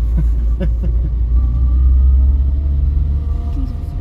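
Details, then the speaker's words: 47-year-old Vauxhall Viva on a test drive after a gearbox oil change: a faint high whine rides over road rumble and climbs with road speed. The gearbox is still whiny, and the drive also feels a bit clunky. "wow look after that gearbox oil change it certainly is still whiny"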